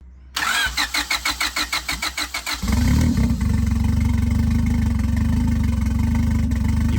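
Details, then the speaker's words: Turbo Honda Civic, first startup with the turbo connected: about a dozen starter beats, then it catches and runs lumpy and uneven, and it stalls at idle after throttle is given to make the ECU adjust fueling. "can hear the engine running rough. Nick opens the throttle to force the ECU to adjust fueling, but the engine stalls as soon as it drops back to idle."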